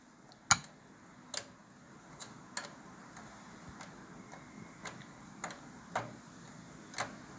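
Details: Microwave oven switched on after storm, fuse gone, mica screen noted as needing to be clean: only a dry mechanical tick about once a second, no hum or magnetron buzz; oven dead from a blown fuse, no power.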